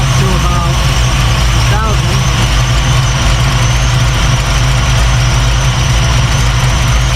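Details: 1989 Mustang Notchback carbureted V8 after starter replacement and carb fix, base timing lowered to ease starting and drop idle: deep steady burble settled just under 1000 rpm, no misses, hunting or surging; idle called perfect.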